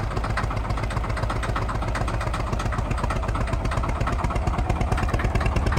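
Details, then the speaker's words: Truck just towed home after a suspected blown head gasket, engine floored: a rough, lumpy clatter that never smooths out or pulls. Combustion gas is pressurizing the cooling system, and coolant and oil are mixing. "not a fun sign obviously a ton of pressure is going into the coolant system right now"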